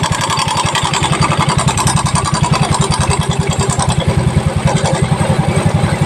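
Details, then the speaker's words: Yamaha Mio Soul i at idle, cam chain tensioner deliberately turned back to bring the noise out: fast steady idle with a bright metallic rattle on every beat that eases off partway, slack cam chain from a broken tensioner. "Ayan maingay na ngayon pawawalan natin yung ingay Sira na Ong tensioner"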